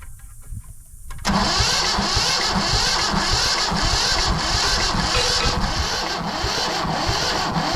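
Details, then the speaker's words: Yanmar YM1500 two-wheel-drive diesel tractor, reported non-running, after bleeding injector lines (fuel present but low pressure), wide-open throttle: steady starter churning about four beats a second with only a faint hint of one cylinder firing; cranking, no start. "Thought I heard a little hit there."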